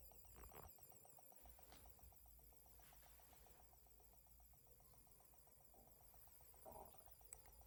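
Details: Dell B2375dfw printer with no power, CR2023 battery already replaced: faint steady high warble with quick regular ticking, a hissing from the electronics (PCB) side or speaker. Abnormal tone; the printer won't power up.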